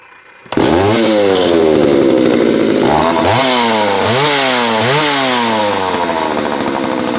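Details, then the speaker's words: Homelite 330 chainsaw with a chafed ignition wire rubbing near the hot muffler, dying when tipped on its side: revving with repeated sharp speed drops and quick recoveries about once a second; intermittent loss of ignition. "That was 100% ignition. loss of ignition. That's what we were hearing there."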